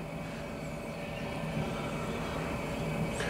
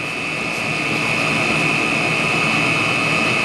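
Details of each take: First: Chinese diesel heater burning used HV46 hydraulic oil on a cold night, oil at minus 7 °C, flue not yet warm, pump inaudible: an uneven fluttering roar pulsing three to four times a second. Rough, unstable combustion, not a clean flame. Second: Chinese diesel heater running on used HV46 hydraulic oil in cold night (oil around -7°C), pump at 3.4 Hz, fan 3500 rpm, about 153°C: even steady combustion roar with constant fan whine, no surging or misfire; good burn.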